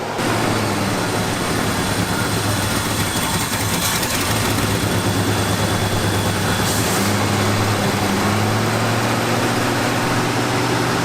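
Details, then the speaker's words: 1974 Ford F-250 Highboy carbureted V8 warmed up with no choke pull-off: uneven hunting idle with ragged stumbling beat over low drone; running lean, vacuum leak suspected. "back there is running with no choke pull off and no help and it's running but really not running well"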